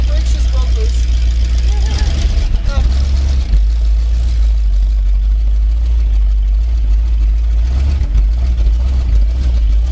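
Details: 1979 Ford F350 one-ton V8 running after about 15 years parked in a field, with oil pressure and power steering working. Deep, steady V8 rumble holding an even idle with no misses, knocks or surging.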